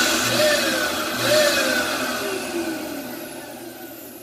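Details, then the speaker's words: Failing Dirt Devil vacuum motor, to be used for parts: a thin, high whine rides over the airflow rush, then fades as the motor runs down; very whiny and bad sounding. "so yeah i'm not going to run that all the way you can tell how bad that sounds very whiny and bad sounding so that's that"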